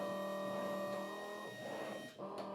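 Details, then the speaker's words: V5 PRO SMT pick-and-place machine running its first placement simulation: steady high-pitched vacuum pump tone with faint motor whirr as the head moves, briefly dipping then resuming; no components fed yet, but the pick cycle is working normally. "So, that means it is working. You can hear the pump also going as well."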